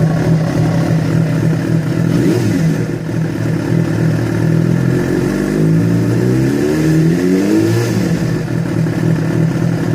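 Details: Yamaha FZ6 revving: engine blips up and down twice with a rough clattery edge under the exhaust note; strange noise began after riding ~70 km on two cylinders from a failed ignition coil connector, source unclear.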